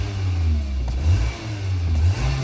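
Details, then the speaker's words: 2024 Mitsubishi Xpander after cleaning the air filter element; revs previously snagged slightly, now rise smoothly and drop back cleanly, throttle reacts instantly with no hesitation between blips; normal rev response. "Kanina parang may sumasabit ng kaunti, pero ngayon diretso yung RPM niya. Tingnan ninyo. Yan, react agad siya."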